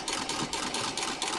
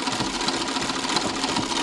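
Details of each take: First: Treadle sewing machine, upper Pitman rod ball bearings dry of grease, partly repacked with Vaseline and turned by hand: light regular clunk about four per second over the whir. Bearings still knocking, but quieter than before. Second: Treadle sewing machine, rear view, after repacking Pitman rod upper ball bearings with Vaseline: light even whirring at steady treadle pace, no metallic knocking; much quieter than before.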